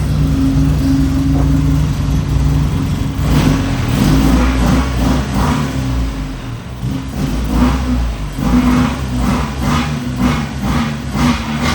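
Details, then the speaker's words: Nissan 240SX that only popped and banged with the MAF plugged in, now started and running with it unplugged; revs up cleanly but carries a lumpy, tractor-like chug between blips, owner suspects the unplugged MAF. "So yeah, I'm not sure why it kind of sounds like a tractor right now. I'm sure it has something to do with the math being unplugged. It revs up really nice."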